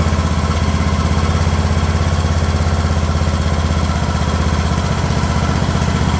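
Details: Craftsman LT2000 riding mower engine at a slow idle: even, low thumping around four pulses a second with no stumbles or surges; normal idle.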